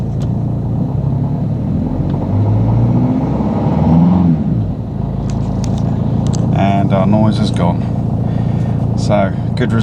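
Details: Jeep Cherokee (Liberty) turbo diesel after idler pulley replacement: it pulls with a steady low drone and no whine climbing with revs, curing the earlier whine on acceleration; the belt drive sounds healthy.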